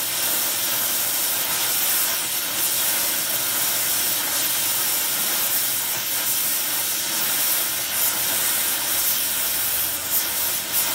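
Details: Small mixer torch welding on Air Products Integra oxy-acetylene cylinders with integrated regulators and flashback-arrestor quick connects; trying to set 4 psi on a 380 psi gauge. Steady even roaring hiss throughout, no popping or sputter; normal torch flame.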